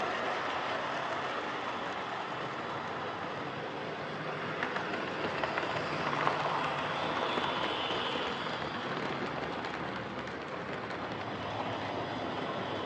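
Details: Hornby Dublo R1 0-6-0 tank locomotive, possibly about 60 years old, brushes worn right down, running on layout: loud steady whirring rattle with faint rhythmic clicking; motor runs noisily despite adjustment.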